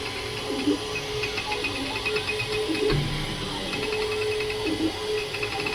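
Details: Creality K2 Plus 3D printer about a week old, latest firmware, printing at seemingly slow speed: motors hum and sing in shifting, tuneful whining tones; owner thinks it sounds different than before, cause unconfirmed, maybe print settings.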